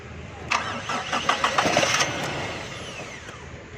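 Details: 1982 Toyota Corolla that wouldn't crank despite new battery, after cleaning carbon off battery terminals: brisk crank of about two seconds then catches into quiet even idle; normal cranking and start.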